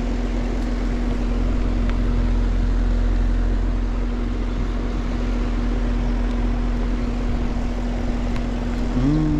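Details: Central air conditioner on a no-cooling call, thermostat set 67 reading 87: outdoor compressor gives a steady low hum with no run-up and never starts; technician suspects a loose connection.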